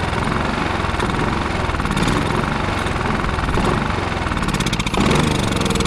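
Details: Westinghouse iGen4500DF inverter generator, stored almost a year on premium fuel with stabilizer and not running, now revived with fresh fuel and Seafoam: steady, even engine drone with a busy low hum, no misses or surging; running smoothly.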